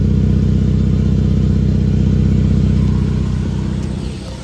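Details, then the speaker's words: 5th-gen Ram 1500, between 36,000 and 60,000 miles, louder for weeks: loud, deep rapid puffing at about 158 per minute that sharpens with revs; exhaust leak at the manifold from a sheared bolt, not the muffler. "it turns out that the bolt here sheared up so we have an exhaust leak and that is what's causing the the noise there"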